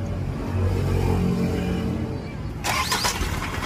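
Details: Isuzu truck that wouldn't start because of a missing starter relay; after fitting a relay it cranks and fires, settling into a steady, even low diesel rumble: normal start.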